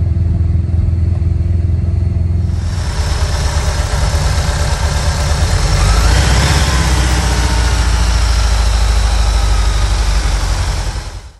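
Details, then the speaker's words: 1987 VW Vanagon Syncro Westfalia flat-four petrol engine, parked since 2001, freshly reinstalled and running: steady, low, even idle burble with no knocks or ticks, described as smooth as they get; normal idle. "Look at how smooth it is. They're never that good."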